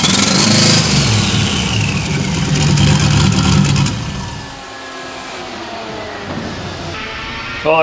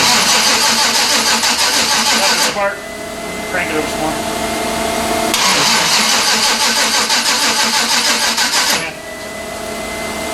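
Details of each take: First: 1992 Silverado with a turbo 5.3 LS swap and 5-speed, previously over-fueled with fouled plugs: the V8 catches and settles to a steady, slightly lumpy idle with no rod hammering. Normal idle, no rod knock. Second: 1992 Chevrolet Silverado with a turbo 5.3 LS swap and 5-speed: fuel pump on and fuel present, but the starter cranks in bursts at about three turns a second and it never catches. Suspected fouled spark plugs.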